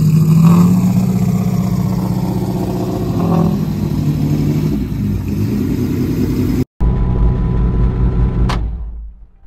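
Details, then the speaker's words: Jaguar XJS V12 track car, first start after sitting nearly three years in a shed; oil pressure reached 75 psi. Uneven revving, rough and off-song with light tapping; owner suspects several or all carburetors need rebuilding after sitting dry. "now clearly it needs some work it didn't run all that great i'm sure that there's a few carburetors if not all of them that need to be rebuilt"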